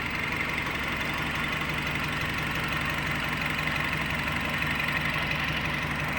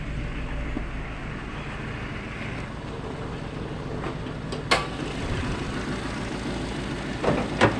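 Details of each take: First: Nissan Livina after the oxygen sensor error or reversed wiring was corrected and idle learning was completed: a steady, even, smooth idle with no stumbling, where before the idle had randomly gone rough. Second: Nissan Livina with check-engine light on: uneven, lumpy idle with a low rumble that stumbles irregularly and a few sharp knocks, shaking the whole body; rough idle traced to reversed front O2 sensor wiring.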